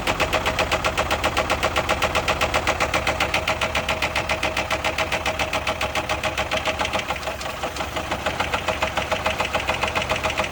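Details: Chevy HHR bought at auction with a bad rod knock, idling while groceries such as lemonade and cereal are tried in the oil as a remedy. A hard, regular knock of about 220 per minute is locked to the idle: a worn rod bearing.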